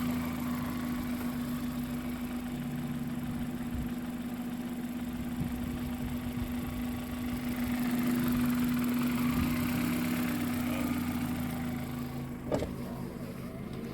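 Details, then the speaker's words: $2,500 road-trip car stranded in the middle of nowhere after suspected clutch failure: steady idle with faint low hum and no load change as gears are tried; stuck in neutral, won't engage first or reverse, clutch failed. "It's a neutral. I cannot get it in gear."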